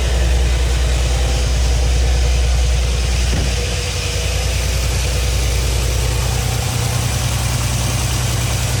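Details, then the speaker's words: 2017 Audi B9 S5, EA839 V6, 67,000 miles, returned with another rocker arm failure, before repair. Idle has an audible regular tap about three per second on bank two; an inspection camera showed the old small-shape rocker bearings. "So I can hear a quite audible tapping on bank two. Hear the hydration filter. Definitely say there's something going on on bank two."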